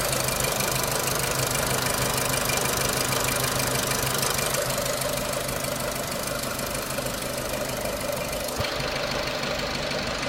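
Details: 2006 Renault Clio 3 1.4 16v petrol, 174,000 km, 5W40 oil, owner suspects oil too thin; steady light top-end tick about twice a second at idle; engine ticking, source unconfirmed.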